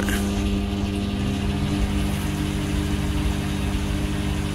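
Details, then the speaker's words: Samsung microwave oven/griller test run after cleaning debris that likely caused sparking inside: steady even hum with low fan whir, no snapping or crackling; normal running without arcing after the fix. "Ayan. Sana wala nang ingay."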